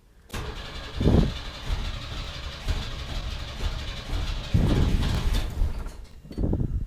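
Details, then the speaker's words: 1991 Chevy S10 Tahoe after a starter replacement: new starter cranks steadily for several seconds with low pulsing, but the engine never catches; a fuel pressure problem was found. "Let's see if it'll actually start and run. Well, it's not running, but the starter's sounding a lot better."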